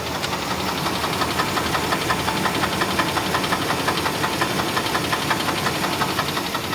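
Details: 1996 Chevrolet Blazer 4.3L V6 at idle, still holds oil pressure: steady even deep knock close to three a second from the oil pan, began after starter housing cracked off; owner suspects damaged crank bearing.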